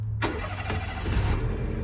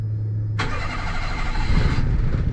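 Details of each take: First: Daihatsu Mira with a 660cc turbo swap, restarting after the first rough startup (fog lights were disconnected instead of the AC). A brief crank, then it catches cleanly into an even idle; a normal start. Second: 660cc turbo-swapped Daihatsu Mira Walkthrough, start-up: it cranks and catches, then runs unevenly with ragged pulsing and a faint whistle.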